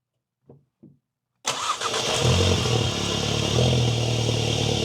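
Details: VW MK7 GTI just after installing an Integrated Engineering cold air intake (stock turbo inlet pipe): brief crank, then catches cleanly and settles into a steady, even idle with no misses, knocks or hiss; normal start.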